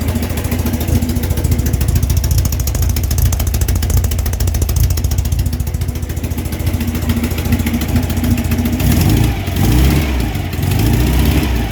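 Motorbike idling then blipped, a light rapid tick riding over the low exhaust rumble and following revs; ticking, cause not pinned down. Cause suspected, not confirmed.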